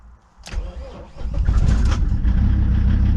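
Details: Mercedes W202 C250TD five-cylinder diesel, over 300,000 km, rebuilt injection pump, unstarted for a week with a doubtful battery: a short crank, then it catches at once and settles into a steady, even idle clatter. A healthy cold start.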